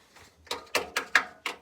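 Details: General Electric washing machine on a regular cold wash with towels and baking soda; five or six hollow thumps about a quarter-second apart, loud knocking of unclear cause.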